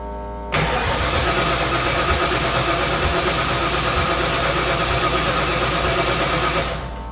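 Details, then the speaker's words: 1989 Ford Mustang Foxbody carbureted engine, starting after timing set: catches and chugs unevenly about six seconds, then stumbles and quits; fires but won't keep running, owner suspects insufficient fuel. "you know what that feels like something it still seems like a fuel issue we're getting actual fire over it just sounds like it doesn't have enough fuel"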